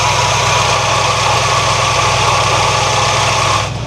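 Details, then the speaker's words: 1978 Ford F100 that sat in a field about 15 years: running about 5 minutes after cleanup. Steady, even idle hum with no random pops or stumbles; reduced smoke, blowby present. "If you notice also, there's no random pops, right? But it seems to be running nice and smooth."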